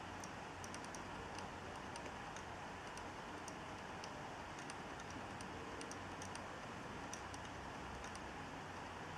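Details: Hard drive (bought from Dealextreme) clicking: quiet hiss broken by short, sharp clicks in small clusters about every second; cause unknown.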